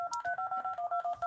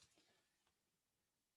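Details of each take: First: Arduino Uno DTMF program through speakers after reset: about a dozen clean dual-tone keypad beeps, roughly eight per second with short even gaps, no distortion, nice and loud; normal tone output. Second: DTMF generator with DAC scaling tried at 64: tone pairs in short steady bursts with intermittent rough buzzy bursts as the summed waveform overflows the DAC and clips; dropping to 63 (range 0–127) avoids the buzz.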